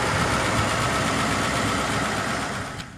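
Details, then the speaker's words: 1949 Pontiac Silver Streak old inline engine, about 75 years old, just after an oil and coolant change: ticks over smoothly and evenly like a sewing machine with no knocks or misses, then cuts off. "Like a sewing machine."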